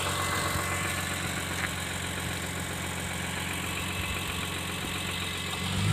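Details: BMW E46 M3 S54B32 at steady idle: dull knock under the exhaust note about four times per second; rod bearings verified worn and crankshaft damaged.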